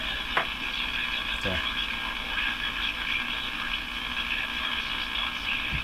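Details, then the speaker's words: Crosley Model F-5 tube radio warming up with an alternate tube fitted, while a hum fault is being chased. Steady hissy, garbled output with a harsh upper-mid band and no clear program: garbled distorted audio, cause not yet found. "It's really weird. I can get the camera to focus on it. It's very odd construction inside. It's garbling away."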